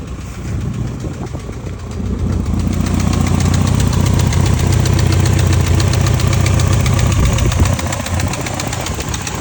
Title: 1989 E30 M3 S14 Engine Ticking Noise 170K Miles